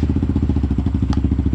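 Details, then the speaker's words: Kawasaki KLX110 with BBR intake, just after cold start, choke possibly off: quick even single-cylinder putter holds steady; idling normally while still a little cold. "if i can pull it off choked or not so you can hear still a little cold but so definitely a ripper for sure"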